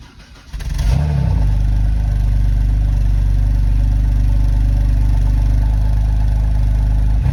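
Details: BMW N52B25 on a cold start, catching then running heavy, uneven and lumpy, hesitant under revs, with codes P0012 and P0015; rough running suspected due to timing issues, not confirmed.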